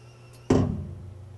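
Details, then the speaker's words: PlaneWave CDK telescope M3 mirror rotator, one motor moving two things: low motor hum, then one heavy clunk as a magnet pulls the rotator onto its hard stop; normal landing. "And so what we do is we run up against a stop, and we have a magnet that pulls it to the stop. Oh. And that's why when it lands, you hear kind of grab. Clunk. Yeah, it kind of clunks in hard."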